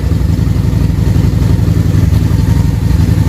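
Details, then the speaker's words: Harley-Davidson V-twin, air box off and Sea Foam still burning out: loud, lumpy idle at about four beats a second with uneven pulses. One carburetor is running harder than the other, slightly out of sync, before adjustment. "And as you can see, one of these is definitely running harder than the other. So they're off just a little bit."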